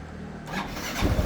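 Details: Motorcycle that would not start in the morning, after replacing a weak battery (new one 12.69 V): brief starter whir, engine catches almost at once and settles into steady firing; clean healthy start.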